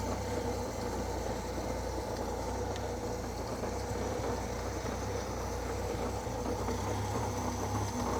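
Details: Old Austin tipper truck, revived after sitting 20 years and not run for 4 days, started with a bit of choke: soft, even, quiet petrol idle with no knocks and no smoke; blows a little on throttle, owner unsure whether fuel or oil.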